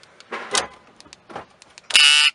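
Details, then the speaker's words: 2010-or-later Dodge Caravan door lock actuator, triggered by remote: short harsh electric grinding buzz inside, then nothing moves; owner suspects the actuator motor is stuck. "You can actually hear it inside of there grinding. I will try to fabricate a. I have a feeling that the motor in there might be stuck somehow"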